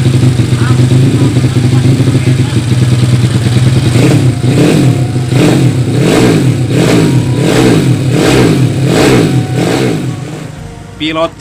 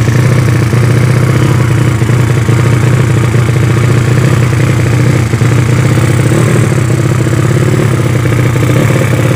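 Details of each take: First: Yamaha Vega ZR with 200cc Mio cylinder swap (66 piston, standard stroke), Tiger carburetor, after re-jetting to main jet 145; crisp even revs climbing and dropping roughly every second, no misses or popping, running properly. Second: Yamaha Vega ZR with a 200cc Mio cylinder swap and Shogun total-loss ignition, started after long storage with the carb not yet tuned: loud, harsh, rapid-firing single with raw crackling bark. The open exhaust header is too small for the engine.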